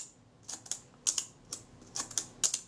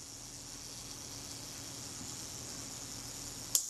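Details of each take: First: Kodak Retina leaf shutter after main drive cam adjustment, set to 1/8 second: paired open-close clicks only a fraction apart, too short; shutter running fast, later measured about a full stop fast. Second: Kodak Retina camera shutter self-timer after servicing; thin steady high buzz for about three and a half seconds, then clean shutter click; self-timer runs down fully; normal self-timer run-down.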